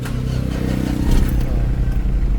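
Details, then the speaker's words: Mitsubishi Adventure diesel that was hard to start every morning, after a glow plug heater controller fault was worked around: catches promptly on the first try and settles into a steady, even clatter; normal start. "Hindi na hindi na siya hard starting mga kaamic."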